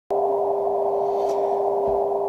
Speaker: have yet another occurrence of the unwanted tone on my Icom IC-7610. Actually, this is the fifth or sixth time this weekend this has taken place.